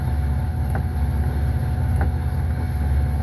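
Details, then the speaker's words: 2005 Pontiac Aztek AWD in gear, AWD disengaged, listened to at the rear gearbox, which has fluid: steady low drone with a dull thump about every 1.25 seconds and jerking; owner suspects the rear gearbox is failing, unconfirmed. "Um, then I come back here and listen to this thumping. I think this rear gearbox is [ __ ]"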